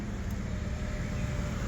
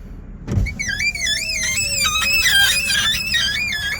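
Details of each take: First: Power window after cleaning the rubber seals and applying silicone lubricant, run up and down several times: engine rumble with faint steady motor hum as the window rises, squeak gone silent, quiet operation. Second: Power window moving: loud wavering high-pitched squeal over faint motor hum from glass rubbing dry rubber seals, before cleaning the seals and applying silicone lubricant.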